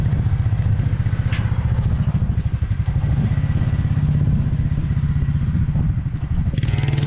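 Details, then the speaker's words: 1996 Suzuki King Quad 300 4x4 ATV single-cylinder after carburetor rebuild, still a little cold: steady even low thumping with a brief throttle dip near the end; running better than before, normal running. "well as you can see it's running now and it's running a little bit better than it did before"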